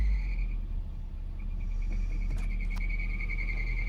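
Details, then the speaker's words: 2002 Nissan Frontier idling after EGR pathway cleaning cleared P0300/P0302 misfire: steady high-pitched squeal over the low idle rumble; owner says the belt needs tightening. Accessory belt squeal, suspected slipping, not confirmed. "I've got to get that bell tightened up. That squeaking's driving me crazy."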